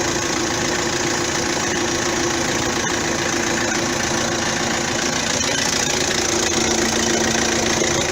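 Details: 2009 Vauxhall Astra diesel after alternator and auxiliary belt parts replaced to cure a belt squeak: even idle with light clatter, steady speed, no squeal or grinding from the front; normal idle.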